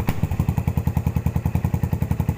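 Even, steady thump at about eight beats a second with no stumbles or gaps; the single is idling cleanly and healthy.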